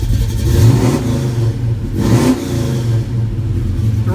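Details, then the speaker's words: 396 big-block Chevy, one of the first runs after installing Holley Sniper EFI with a new fuel pump. Two quick, clean throttle blips rise and fall smoothly with no stumble or hesitation; crisp throttle response from a healthy engine. "Throttle response is spectacular."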